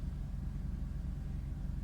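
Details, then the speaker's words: Mercedes W124 petrol engine after the fuel pump strainer in the tank was cleaned: steady even idle; it tries to stall at first, then revs settle, and the pump is now barely audible. "нормально работает подписывайся на канал"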